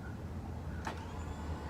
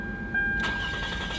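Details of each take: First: Toyota Camry 3.0 L V6, bad starter before replacement: steady low electric whirr with brief clacks, no cranking; armature spinning but solenoid not throwing the starter out, starter not engaging. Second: 2004 Toyota Camry 3.0 L V6 after starter replacement, battery terminals cleaned: brief crank then engine catches at once and runs evenly; new starter good, normal crank and start.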